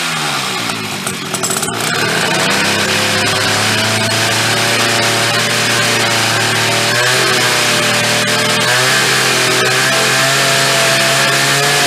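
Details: Chrysler Sno-Runner snow cycle (title says 1979, speaker says mid-70s), sat over 40 years, revived; two-stroke started on choke with a shot of old fuel, raspy buzz catching and settling into a fast, slightly wavering run; keeps running.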